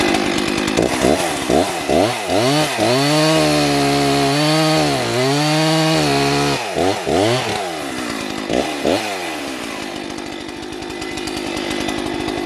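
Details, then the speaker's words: Pawn-shop vintage Jonsered 670 chainsaw, first test cut after purchase: screams at full revs, pitch dropping and recovering as the chain bites wood, no stumbling; strong, healthy saw cutting properly under load. "that's a strong run on Old saw"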